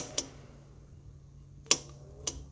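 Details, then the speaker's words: HVAC electrical training board with 24V control circuit: sharp, irregular relay clicks over a low hum as the relay drops in and out from an intermittent common wire caused by a bad crimp connector; fix is replacing the wire or connector. "So that's a problem inside one of our crimp connectors."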